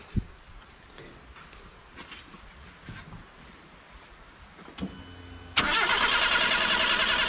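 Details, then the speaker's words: Proton Wira that stalls once hot after 10–15 minutes' running and then won't restart: quiet, then a steady starter whirr that never catches; hot crank-no-start. "Okey. Langsung tak nak hidup. Jadi sekarang kita kena cari apa dia punya masalah."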